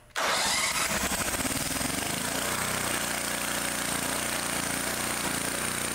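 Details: Two-cylinder engine, after removing an air-filter base bolt that vibrated loose and was sucked into the carburetor, leaving it running on one cylinder: fires straight away and settles into a smooth, even beat on both cylinders, with no missing; normal running.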